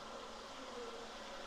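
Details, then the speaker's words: Hw-5000 filter pump on an aquarium tank, air bled and taps open, gives a steady, thin, insect-like buzz with no water sound; the motor hums but moves no water. "I bleed or I bled all the air out and plugged it all back in it makes noise it does nothing"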